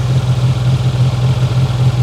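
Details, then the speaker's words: 1993 Geo Tracker idling with the alternator belt removed as a test; there had been a weird hummy sound from below. A low drone with a faint, irregular clatter that still sounds odd with the belt off; source unclear, and an exhaust leak was later found under the car. "well I think it sounds better but I am doing a little test because I was getting a weird sound over here"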